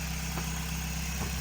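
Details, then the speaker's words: Toyota Echo 1.5, 391,000 miles, after replacing failed ignition coil with an OEM used part that had caused a bad misfire: low, even idle hum with steady beat, no misses; runs much smoother. "Not real concerned about it. Runs a lot smoother now."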